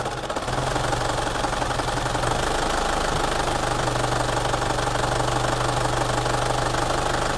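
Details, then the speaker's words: Isuzu Panther diesel at idle shakes badly with a lumpy, uneven pulse over a low drone, smoother when revved but worse at part throttle; rough idle with RPM hunting, suspected injector nozzles, low pressure or delivery valves. "bisa teman-teman perhatikan itu bergetar yang lumayan parah ya getarnya ini tapi ketika kondisi kita gas itu dia Enak tidak ada masalah"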